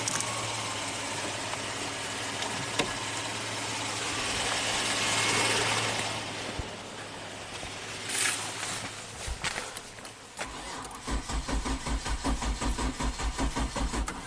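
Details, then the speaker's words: 2005 Kia Sorento 4x4 with intermittent-then-permanent crank no-start, fuel pump and crank sensor already replaced, no check engine light, weak battery on jumper cables: starter churns evenly, engine never fires; crank no-start, engine computer suspected. "Definitely crank no start."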